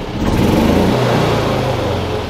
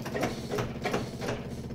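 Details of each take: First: Yamaha G29 golf cart after replacing a faulty stop switch part, battery freshly charged, belt removed: electric fuel pump heard at key-on, then the engine fires straight away and revs cleanly with the throttle; a healthy start and run. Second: Yamaha golf cart with key on: rhythmic cranking about three pulses a second as the engine tries to start when the pedal is released, caused by a worn pedal switch; the fuel pump is noisy.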